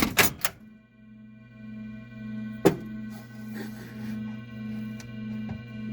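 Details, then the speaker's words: Stern Galaxy pinball being restored: speaker gives a constant low electrical hum with a few thunks and the seven startup bongs, but no game sounds after pressing start. "uh you can hear it dinging the seven bongs uh it's a different kind of buzz coming out of the speaker but let's hit the start button"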